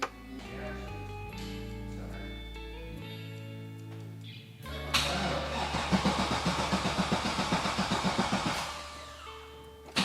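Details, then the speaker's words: 1998 Camaro LS1 after garage flood: starter cranks steadily about 220 pulses a minute under music, never catches; fuel pump on direct power via switch and fuse that were submerged, so no fuel. "oh no I know what it is so I forgot that this car very safely has the fuel pump on Direct power via a switch but that switch was completely underwater and so was this fuse"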